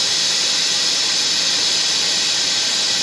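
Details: 2020 Toyota Camry, 2.5 L A25A four-cylinder, coolant service: steady, loud, high-pitched hiss of air through the venturi with no variation; the vacuum filler pulls the cooling system down normally.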